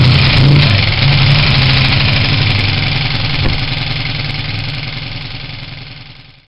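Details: Honda CG125 project bike, first start after rebuild with new pod filter, tank refitted, flat battery: single-cylinder thumping at steady, even beat that settles then fades as it dies.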